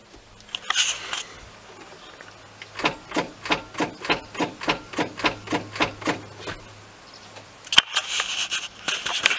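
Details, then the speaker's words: 1995 Ford F-350 7.3L diesel, hard to start: dry even clicking about three times a second, engine never turns over; battery fine and connection tight, owner suspects starter solenoid not engaging. "maybe that's a soul Knight on a starter it sounds like sounds like the soul Knight isn't [Music] engaging"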